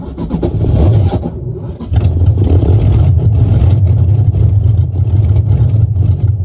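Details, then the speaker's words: 1UZ-FE non-VVTi V8 swapped into an S14 240SX, in neutral with the fuel pump running. The starter whirs, then a few ragged firing pulses never settle into idle: it catches briefly and stalls. It cranked better than before. Resistors and firing order were checked; each cylinder's firing is still to be tested. "We did get a fire up. I don't know, it's cranked better this time than it has before, but you can hear how it stops. Very weird."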